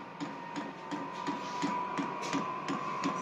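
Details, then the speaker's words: Vevor diesel heater (8 kW) first ignition on diesel, temperature set to 24 degrees, fan speeding up: steady fan whir with even pump ticks about three a second as the burner lights normally; some exhaust smoke possible. "यह पहला प्रज्वलन है, निकास से कुछ धुआं निकल सकता है। ठीक है, मैं कहूंगा कि यह निश्चित रूप से चला गया है।"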